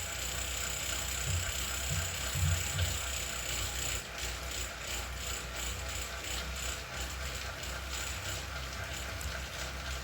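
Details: Zwift Ride bike on KICKR CORE trainer strapped to a rocker plate: rhythmic sharp clicks about three per second over the trainer whir, repeating with each pedal stroke; known issue, unit replaced.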